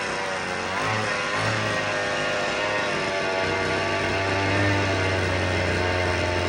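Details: Vintage black-top Husqvarna 50 chainsaw (50cc), unrun about 15 years, 80 PSI compression, likely stuck or weak rings: buzzy high-rev drone near 3100 rpm, thin and lacking punch; compression improving but still too low for cutting.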